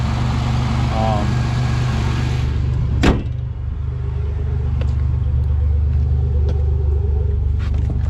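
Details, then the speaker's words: Supercharged Grand Prix right after a used junkyard fuel pump was fitted: it fires right up, and after a single thump it settles into a steady, even low idle with no knocks, misses or whine. It sounds healthy. "Fires right up. Let's throw some power steering fluid in it too. She's running good. Sounds good too."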